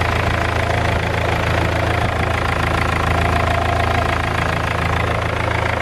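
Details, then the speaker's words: BMW E46 320d touring, M47 diesel, 200,000 miles, first start after crank pulley and belt repair, warming up: loud steady idle clatter, about three and a half beats a second, raspy puffing; exhaust leak, downpipe flexi suspected. "Engine sounds pretty good though. I know we have an exhaust leak. I think the flexi has probably gone on the downpipe."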